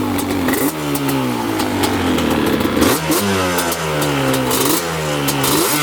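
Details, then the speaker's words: 1995 Yamaha Banshee 350 two-stroke twin, revived after 18 years in a barn, water just pushed out: revs climb quickly and drop back cleanly several times with no bogging or misfire. Healthy, pulls strong. "I forgot how good Banshee sound best sounding machine there is for sure sounds so good look at that thing doesn't get much better than that sounds really really good"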